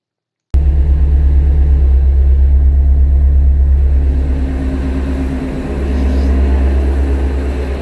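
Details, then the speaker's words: Engine started after reassembly and reinstallation, after a new water pump failed. A steady, even low rumble from start-up with no ticking or whine. The engine sounds totally normal. "so as you can see it sounded totally normal"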